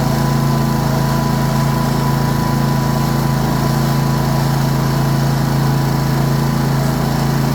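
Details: Cub Cadet RZT 54 zero-turn after drive belt replacement, cured of its earlier slapping racket from the belt, not the engine. Steady, even low drone with no slapping or knocking: normal running.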